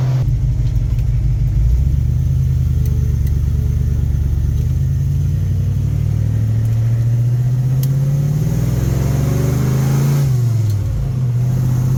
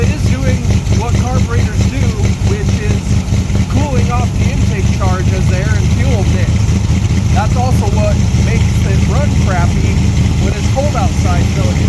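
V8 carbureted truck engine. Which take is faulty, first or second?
second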